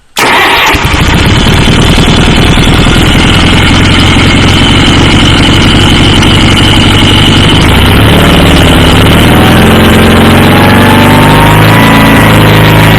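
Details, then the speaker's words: Approx. 1976 Sears GT18 tractor, Onan 18 HP, after carburetor cleaning and fuel pump rebuild, air cleaner off. Started on choke, then choke off, running about a minute: it catches at once, settles to a steady idle, then revs rise and fall smoothly. Normal start and idle. "so it sure sounded good I fired it up I had choke on now it's choke has been off it's it ran you just heard it run just that long 1 minute"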